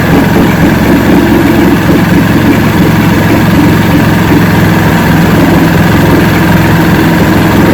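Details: 1970 Evinrude 85hp two-stroke outboard, hydro-electric shift, about 50 years old, new water pump impeller, run in a water container after forward/neutral/reverse tests: steady smooth idle beat, no misses or knocks; carburetors judged good at idle, full throttle untested.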